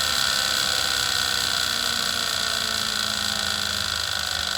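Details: Wahoo KICKR Snap trainer, bought Dec 2018, noise began after a little over a week of use: fast regular light clicking, three or four a second, over a steady high whir; drivetrain nearly silent with the wheel off the roller.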